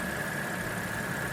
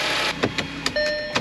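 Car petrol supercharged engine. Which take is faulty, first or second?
second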